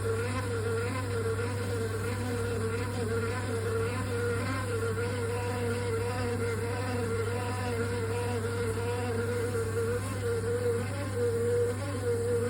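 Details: Triton Envi electric shower: a loud, steady electrical buzz with a wavering higher tone on top; a component defect is suspected, possibly involving the Tri-hub, not confirmed.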